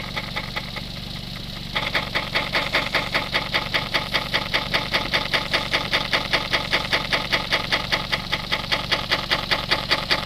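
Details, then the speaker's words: Suzuki SX4 with high-speed vibration, wheels spinning on the car, rear tire checked; a steady, regular swishing rub about two and a half times a second, showing the tire is not perfectly round. "So you can hear by the cadence of the noise that it is not perfectly round."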